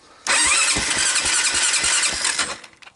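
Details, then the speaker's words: Honda ATV that had stopped starting, with gas shot into the carburetor: catches with a loud burst of quick firing for about two seconds, then sputters out; carburetor needs cleaning. "I heard something. We have ignition."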